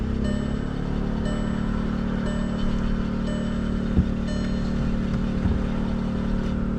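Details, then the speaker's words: 2016 Volkswagen Tiguan, push start, code P0342 camshaft position sensor circuit low: engine spins on the starter at a steady pace with one hiccup but no catch; crank no start. "Alright, didn't go at all, but it did hiccup at one time."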